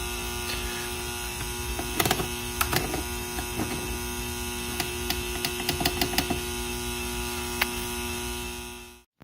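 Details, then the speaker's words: Used Rain Bird Professional sprinkler controller, ground wire connected, on mains. Steady low electrical hum with a faint buzz, unchanged, with handling clicks; transformer humming persists despite grounding. Cause not found. "well that's too bad looks like it's still making the humming sound even with the ground connected"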